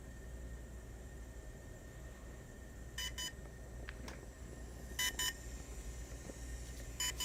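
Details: DJI Phantom 3 Standard drone: short double high-pitched beeps about every two seconds over a steady motor hum; intermittent beeping, cause unclear.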